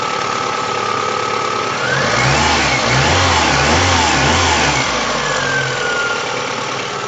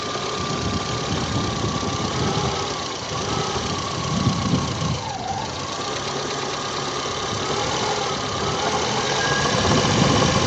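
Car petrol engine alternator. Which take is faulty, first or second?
second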